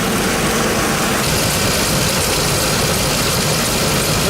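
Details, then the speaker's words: 2004 Dodge Ram half-ton 5.7L V8 at idle after repairing exhaust leaks from broken bolts on both manifolds: an even, steady low rumble with no ticking or puffing at the manifolds. Quiet, sealed, no leaks. "Let's start it up, check it out. Quiet as a church now. No leaks."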